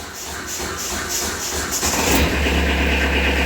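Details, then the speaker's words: Kubota B3000 diesel tractor at its 300-hour service, started without using the glow plugs: labours and stumbles on cranking, then catches and settles to a rough, uneven idle; hard start likely from skipping preheat. "i should have gave it a little glow plug i guess"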